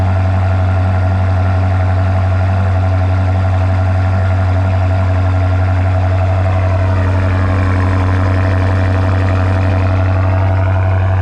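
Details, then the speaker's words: BMW F95 X5M just after a Dinan muffler and blast pipes were installed, idling to warm up after a cold start: deep, even exhaust drone and strong low hum, no ticking, knocking or misfire; normal cold start idle. "all right we we'll let her warm up and we'll probably get a clip of the guy ripping it out of here oh yeah that'll probably be the next thing oh yeah sounds nice"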